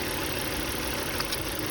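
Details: 2003 Volvo V70 2.4 four-cylinder: idle runs unevenly with irregular stumble over steady hum; one cylinder misfiring, code 3502, bad ignition coil suspected.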